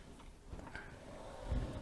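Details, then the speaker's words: 2017 Pride Mobility Victory 9 three-wheel scooter: a low, uneven grumble from the rear drive when the transaxle is pushed in freewheel, spinning the motor; worn motor bearings suspected rather than the transaxle, and the motor will be removed and opened. "sounds like that, I think your bearings are worn in the motor. So I'm going to take the motor off, have a look at it, take it apart and see if I can find out where it's grumbling."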